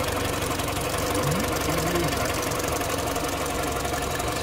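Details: Mini with a Prince engine at about 153k mileage, engine light on and five fault codes stored: a steady idle with an uneven knock-rattle about four times a second under the engine note. The cause is undiagnosed.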